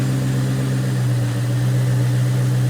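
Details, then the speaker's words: 2003 Mustang SVT Cobra (Terminator), supercharged, after new intercooler expansion tank install and refill, intercooler pump running: smooth, steady low idle with an even rumble, no misses, surges or knocks while checked for leaks; normal idle. "gonna go check for leaks. So everything seems to be working fine."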